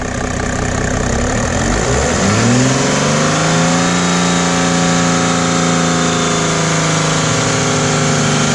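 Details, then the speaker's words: Mercedes W210 E300 OM606 turbodiesel after Liqui Moly diesel purge: even diesel clatter at idle, then clean smooth rise in revs and settle, no knock or stumble; healthy engine. "sounds real smooth especially rpm like"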